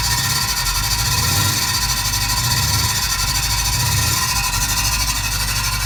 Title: Range Rover L322 squeaking noise from gearbox